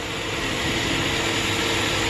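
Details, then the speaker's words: GM V8 truck with long-tube headers, stall converter and new pushrods, after repair work on both sides: steady, even roar with no misses or ticks; the engine runs smooth and healthy. "yep motor sounds really good not missing no ticks running smooth"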